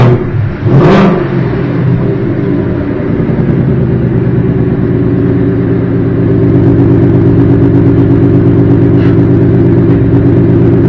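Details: Car with a new engine, after its first oil change and checked with a mic for a new knock; it catches after a brief crank and settles into a steady, even idle with a deep rumble and no tapping; normal start and idle.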